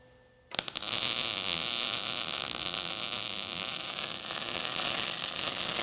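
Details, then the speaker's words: MIG weld run with the shielding gas turned off: after a quiet start, harsh irregular crackling with sharp pops as no contaminants are pushed away, leaving a darker, burnt-through bead. "now what I'll do is I'll turn off the shielding gas you'll be able to hear the crackling and popping of this well without the shielding gas showing that it's not pushing any contaminants away"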